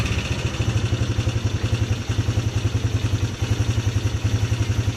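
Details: 2010 Polaris Sportsman 300 single-cylinder ATV idling, just bought needing full maintenance and low on fuel: an even thump of about 3.5 beats per second with no knock or rattle. Healthy.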